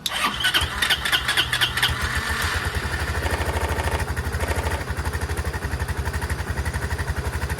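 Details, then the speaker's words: Chinese 150cc TNG Verona scooter, carburetor and ignition switch work, cranked to check whether it stays running without carb clean while fuel bowl fills: stumbling cranking then catches into steady fast even putter settling toward idle: engine starting. "This way we know if it stays running, it does not need a carb clean. We're just going to crank it and see if it stays running."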